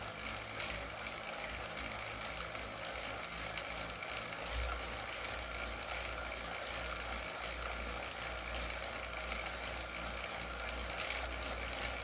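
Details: Wahoo KICKR CORE trainer with Zwift Ride on a rocker plate, at 90 rpm cadence and 170 W; a steady flywheel whir with no repeating clicks, running smoothly in this stretch.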